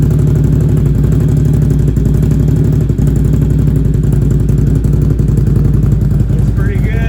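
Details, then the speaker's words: Can-Am Outlander Max 800 XT ATV after repair, sat vertical about 24 hours: catches and settles into steady, even idle with smooth regular firing, no misses or knocks. Normal start and idle. "I'm so surprised that uh you know it's actually fixed and running"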